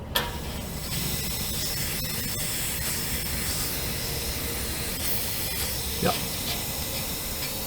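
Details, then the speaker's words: LP regulator on a motorhome only a few months old: constant sharp hiss of propane escaping steadily; the regulator failed catastrophically. "okay y'all can probably hear that uh it's leaking out this regulator right here"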